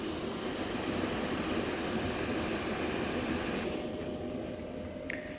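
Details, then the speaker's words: Powersmart S5150 500 W 461 Wh power station cooling fan running a heater load of about 500 W (settling to 490 W) despite an error message: steady fan rush, noticeable but not disruptive; loudest fan stage; normal. "it's pretty you know I mean you hear the fan but it's not super disruptive or anything especially considering the fact that it's pulling about 500 watts through it"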